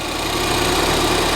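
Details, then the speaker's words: Ford Fiesta ST, just started after fitting a replacement ECU to cure a previous misfire: steady, even idle with no stumble or skipped beats, slight clicking said to come from the fuel rail; runs sweet, no misfire. "it's running right it's not misfiring it's definitely not misfiring it's a bit that clicking is coming from the fuel rail the engine sounds sweet"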